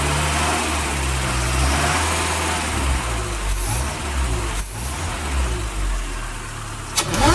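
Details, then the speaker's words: Supercharged Toyota 22RE four-cylinder with intake piping changed to feed straight into the throttle body, trying to make it louder: rough revving and settling, then a sharp whine climbing with throttle; supercharger whine. "That was insane! It sounded awesome!"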